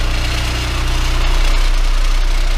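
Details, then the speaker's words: Mid-to-late-1970s Kenwood KA-7100 amplifier driving a Dayton Audio 18-inch subwoofer driver in free air with a 30 Hz test tone: a deep drone with a rough, buzzy edge and rattling from the bench; the amp is starting to clip. "now it's going to start vibrating everything around here and just starting to clip their"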